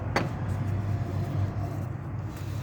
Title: TOYOTA FORTUNER tensioner ass'y humming sound #automotive #tensionerbearing #shorts #toyotafortuner